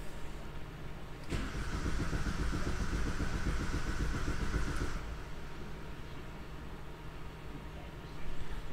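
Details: 2005 Vauxhall Combo B diesel van, crank no start: steady starter cranking about 3.5 turns per second for several seconds, never catches; fuel pump goes active but no common rail pressure, camshaft sensor code suspected.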